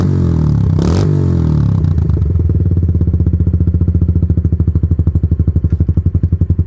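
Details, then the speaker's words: Kawasaki Lakota quad with new aftermarket exhaust, driveway run, exhaust smoking: loud crisp single-cylinder pulses slow evenly as revs fall, no knocks or misses; loud but not too loud, healthy engine. "Doesn't get better than that, man. I mean, it's loud, but it's not that loud. I think it sounds really good, dude."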